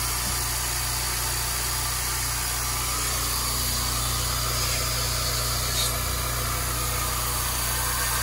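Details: New California Air Tools air compressor, first run after fitting spin-on air filters: steady, even motor hum with a soft whir, no knocks, rattles or air leaks; runs quietly and healthy.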